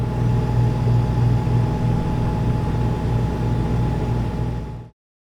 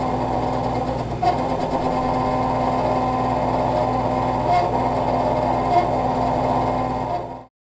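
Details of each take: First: Refrigerator compressor running normally: a distinct, steady low hum from behind the fridge with a faint thin tone above it. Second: Refrigerator condenser fan behind the fridge making a steady raspy, gritty whir with faint squeaks. A squealing or grinding fan like this likely means worn motor bearings.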